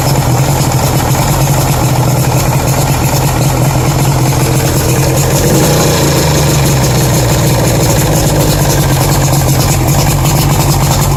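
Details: 1992 Lund Pro-V outboard running steadily with a low uneven knock under the exhaust note; owner unsure if rod knock or piston slap, light blue smoke, thinks carb tuned right but boat runs slow.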